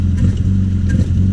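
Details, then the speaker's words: 1978 Triumph Spitfire, warm, after heavy acceleration: engine bogs and dips unevenly when the throttle is stabbed; suspected too much air and not enough fuel, accelerator pump seen working, vacuum leak thought unlikely; the problem comes and goes. "If I stab it, I think that's a classic sign of not getting enough fuel. Too much air."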